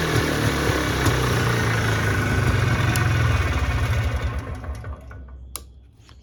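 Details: Trailblazer 250 two-stroke whose no-start was traced to a bad key switch, now with new key switch: pull starts right away, buzzes evenly a few seconds then winds down; starts readily and runs normally.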